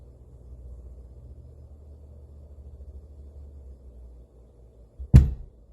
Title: BASH Amp banging sound